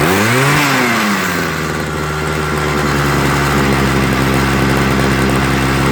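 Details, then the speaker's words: Homelite 26 cc two-stroke hedge trimmer after carburetor and fuel line service, started on full choke and warmed: sags then settles to an even, steady high idle with no hunting after opening the needle valves more; bubbles and a leak noted. "okay guys that sounds a little bit more stable see notice it changed and then i had to open up the needle valves a little bit more"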